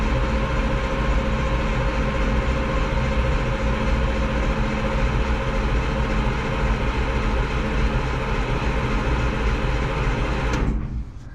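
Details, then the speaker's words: Old Caterpillar 225 excavator diesel after topping up the oil, fuel shutoff disconnected, cranked again without starting to prime the oil: steady low churning drone for about ten seconds, then cuts off. Normal priming crank; oil then reads full. "I'll top it off a little bit more and maybe crank it over just to check it to see if it'll do it again and then start it here we go"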